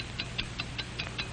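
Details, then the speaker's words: 1949 Hamilton Watch Co. film: a fine mechanical watch ticking steadily and accurately at five ticks per second. Crisp, clean, evenly spaced ticks. Normal watch ticking. "what do you hear it's the ticking of a fine watch wherever you go whatever you do America's fine watch tick steadily accurately on five ticks every"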